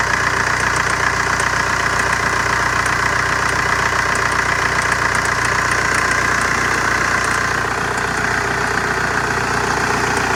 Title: Strange metallic chirping noise 2003 VW Jetta ALH 5 speed TDI